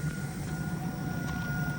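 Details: Raypak natural gas pool heater after heat exchanger cleaning for rollout, wet insulation steaming off: low steady burner roar with even faint hum, no popping or rumbling; firing normally, though water flow later found low (pump under 10 PSI).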